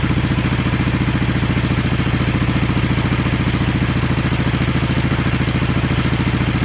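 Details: 1970 Honda SL350 twin, first start during restoration with gas put down plug holes and a carb leaking; steady even putter about three and a half beats a second, no skips; both cylinders equally warm at pipes; normal idle.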